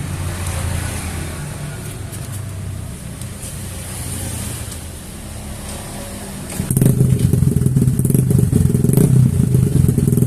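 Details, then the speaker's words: Bored-up scooter engine with Nmax piston, valve reliefs cut in piston, run-in completed, revved: smooth low idle then clean even rise in pitch, no knock or rattle; healthy rebuilt engine. "baru saya berani buat videoin buat digeber-geber karena kalau Blon in Ryan pasti kan entar susah untuk digebernya entar gancet lagi"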